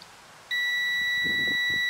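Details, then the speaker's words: 18-year-old Weslo treadmill teardown, multimeter continuity test of the magnetic speed sensor: quiet, then with the magnet lined up a steady high-pitched beep holds unbroken, confirming the sensor works. "there you go all right so you confirmed that that magnetic sensor is working"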